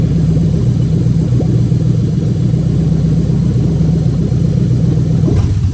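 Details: Lexus LS430 2003-2006 3UZ-FE VVT-i V8 on an original harness adapted plug and play to an IS200 manual, idling during the bank 1 oil control valve active test: deep, even rumble at steady speed with no knock, tick or stumble; normal idle.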